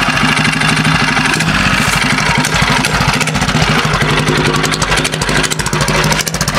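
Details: Homemade motorbike with a 120cc Honda GX engine and GTC TC2 CVT, first drive after fitting a remotely adjustable main jet, mixture set really rich: engine pulses unevenly and blubbers under load pulling away; rich running mixture.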